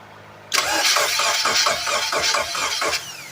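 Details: Abandoned project engine, sat a while, fuel injected: steady starter cranking, about four even compression beats a second for over two seconds, never catches; fuel pump not running, later starts on brake cleaner sprayed in throttle body.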